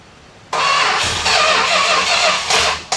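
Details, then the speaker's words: 1969 Road Runner, unstarted for about 40 years, cranked on a hooked-up fuel pump: a ragged two-second burst of firing that stumbles and fades, catching briefly but starved of fuel. "Did I hear that thing hit? Yeah, it hit. Yeah, I'm digging it. We just need a little gasoline."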